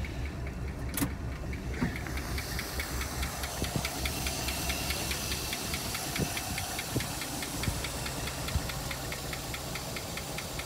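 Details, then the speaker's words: 1956 Buick Century, long-stored engine recently revived, idling: light, fairly steady tick about once a second over the idle, likely valve train, with a little smoke from both exhaust pipes. "all right so this thing's still running away um still got that one little tick in it"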